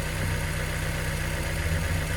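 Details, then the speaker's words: 2000 Mazda NB Miata, 119,000 miles, with prior lifter tick: first cold start after an oil change with ATS oil system treatment added. The idle is an even, low, steady rumble that sounds smoother, with no clear ticking. "time just taking it all in right now it does sound smoother"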